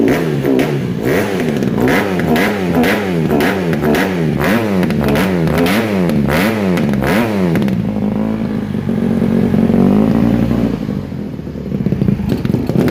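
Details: 2007 Honda CRF150RB dirt bike reassembled after buying as a basket case, with water found in it and new stator ordered; quick crisp throttle blips about twice a second, then a clean steady idle with no misses; normal running.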